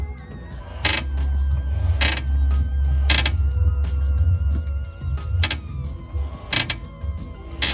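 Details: Chevette front suspension, wheel rocked by hand: dry creak about once a second, also heard turning the stiff steering and over bumps; owner suspects the control-arm bushings, tie-rod end or ball joints, not confirmed.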